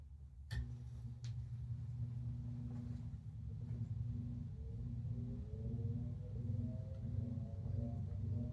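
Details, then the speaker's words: 1942/1949 Hunter R-52 ceiling fan, restored from combined parts: after a click a low hum builds and the tone slowly climbs as the fan spins from zero to high, smooth and even; normal startup. "Okay, ready? Go French. No talking because the harmonics are pretty cool."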